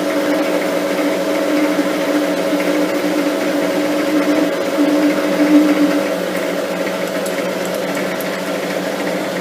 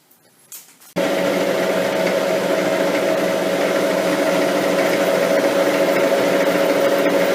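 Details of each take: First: Lathe turning the slender shaft of a lapping arbor with light cuts, speed slowed slightly: a faint uneven buzzing builds over the cutting hum and swells mid-cut as the shaft starts to chatter; a steady rest was then fitted for the final cuts. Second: Lathe turning the slender lapping-arbor shaft after a steady rest was fitted to cure chatter: on a spring cut the cutting tone is steady and even with no stuttering or rattle, giving a clean, stable cut that is dramatically improved.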